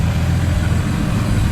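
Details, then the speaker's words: FG Falcon turbo trayback ute with factory-based Barra turbo engine, idling, running 91 octane fuel; slightly fluffy idle but a low, steady, even rumble with no knocks or ticks. No fuel leaks found; normal idle. "So it's a little fluffy on the idle, but it does have 91 in it at the moment, which is a bit gross."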